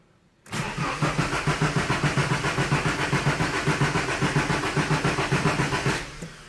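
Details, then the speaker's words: Nissan 240SX S14 cranking with the fuel pump fuse pulled before a fuel filter replacement: starter churns steadily about five seconds, around four even compression beats a second, never catches; fuel starved, no fuel pressure. "I guess there wasn't too much in there to begin with because it normally would have turned on by then"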